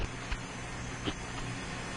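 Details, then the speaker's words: 2002 Ford Focus Zetec, leak-down test on cylinder 1 at top dead center, microphone up to the leak: steady airy hiss, a little over 80% leakage past an exhaust valve that isn't sealing, compression lost through the exhaust. "it's the exhaust valve that's not sealing so all the compression being lost through the exhaust pretty much at this point"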